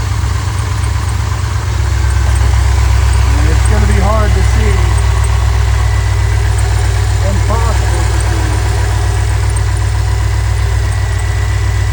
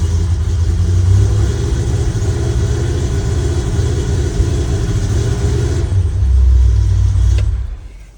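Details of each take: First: Chevrolet C10 with a Holley Sniper EFI that was misfiring and backfiring, started after setting static timing to check it, before the timing was set to 15° with the gun: a steady low V8 idle with an even rhythm and no stumble. Normal idle. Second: Chevrolet C10 V8 with Holley Sniper EFI starts fine but misfires and backfires when revved: uneven, stumbling exhaust beat missing intermittently as rpm rises; misfire cause still being chased via plug wires.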